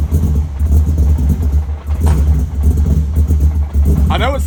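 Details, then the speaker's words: Cold V8 E30, newly converted to Audi R8 coil packs and still untuned, idles deep, lumpy and uneven, pulsing and stumbling; idle speed too low, being raised on the ECU; said to smooth out once warm. "rough it almost sounds like it has a giant cam in it but once again the engine's still cold once the engine actually warms up the idle smooths out"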